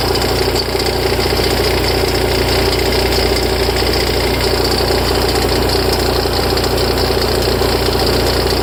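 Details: Ferrari F355 at idle: an extra rhythmic clatter of about one and a half knocks a second from the front of the engine, starting tens of seconds after start-up, after which the idle settles; it is louder and longer after long disuse. Source undetermined.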